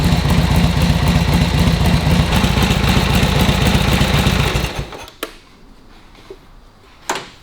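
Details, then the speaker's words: Vintage motorcycle running warm after a kick start, with no choke or priming and timing and points set right; the crankcase oil was not drained but it is not over-oiled. Steady, even low thump of about four beats a second with no misses, then a clean shutoff. Normal warm running. "they should just go once we got a little bit of heat in them we don't need choke don't need priming we just go that's when the timing is Right points are right everything's set up so that they will sit there and do that all day that's what they do"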